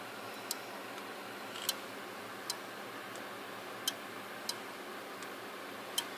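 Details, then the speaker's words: Furnace pressure switch demo for Fasco A170 inducer motor (115 V, 3200 RPM): vacuum applied by mouth to the hose closes the diaphragm, giving sharp light irregular clicks over room hiss as contacts snap shut. "So what happens is, this will close that pressure switch. It'll say, hey, it's okay, this is working."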